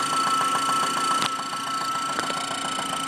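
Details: 1997 Saturn SC2 at idle heard through a stethoscope, quick steady tapping three or four a second over a thin whine; internal knock began after high RPM use, cause unclear.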